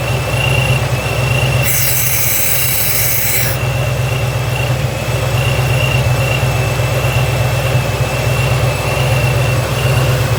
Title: Vacuum Leak